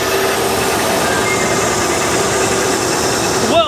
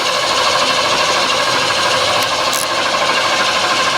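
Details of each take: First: Bullnose Ford F-150, cold start after correcting mixed-up wiring: a steady, even idle with a smooth hum and no knocks or misses, the engine running cleanly. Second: Bullnose Ford F150, first start attempt after a transmission replacement, without a jump pack. Loud, harsh metallic clatter about three hits a second through the start attempt; owner thinks a wire was mixed up, cause unclear.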